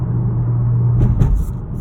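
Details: 2018 Honda Accord Sport 1.5T; steady low hum with constant drone under the engine note, no knocking; abnormal humming from engine, source not pinned down.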